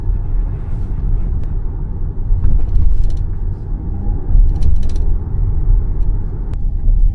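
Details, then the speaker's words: Jeep Grand Cherokee on bumpy Beijing road, worst at right rear wheel: dull tire/suspension thump then sharp crackling rattle from under rear seats; interior parts rattling over bumps, a problem for over half a year. "真正的异响呢是后边这个脆声，噼里啪啦这个声，很明显是先颠簸，然后颠簸的这种余下的能量震动了车内的一些装备造成的声音。"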